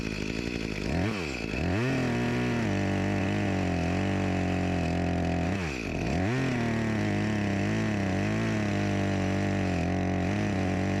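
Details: Echo CS-352 chainsaw after a replacement carburetor and gasket cured its start-then-die fault, cutting a log after a cold start: steady high buzz dipping and sagging slightly twice under load; runs and cuts fine, with slight bogging blamed on a dull chain.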